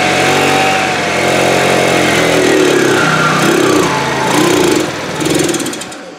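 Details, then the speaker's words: 2013 TaoTao scooter after carburetor work runs unevenly, revs rising and sagging without settling; sounds fuel-starved, owner suspects fuel delivery problem, possibly fuel pump not flowing enough fuel, not confirmed. "okay sounds like a fuel delivery problem and I'm wondering if we may have an issue with this fuel pump maybe it's not working properly"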